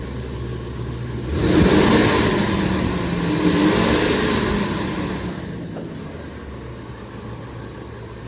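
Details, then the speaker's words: Ford F-250/350 Triton V10 first start after new exhaust manifold gaskets, seized studs welded out and replaced, Y-pipe refitted to cure exhaust leaks: quick rev settling to smooth idle, no ticking or puffing, mostly fan and air noise; normal. "She is ready to be fired up for the first time since exhaust leaks. Like you hear the fan spool up more than the truck. You just hear a bunch of air."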